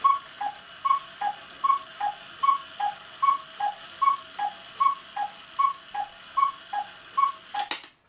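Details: 1940 Lux cuckoo clock with a one-day double-weight movement, reassembled: a crisp, even tick-tock at about 76 beats a minute, with no drag or stumble; the movement runs cleanly.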